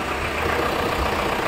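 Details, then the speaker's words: Tata Safari diesel after alternator clutch pulley replacement, previously making a noise like something breaking at start-up; now even smooth idle with no rattle, knock or chatter from the front of the engine: normal idle after repair. "ये देख सकते हैं इसका sound firing wiring सब एकदम silent है देखिए थोड़ा भी आवाज नहीं है"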